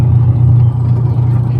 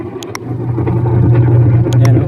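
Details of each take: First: 10-year-old washing machine, noisy from a broken gear, after an overhaul that replaced the gearbox. The spin is a smooth, steady low hum with no grinding or scraping; the earlier rattle is gone. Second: Washing machine runs with loud rough low drone and uneven knocking clatter; gearbox found worn and loose, owner first suspected pulley bearing.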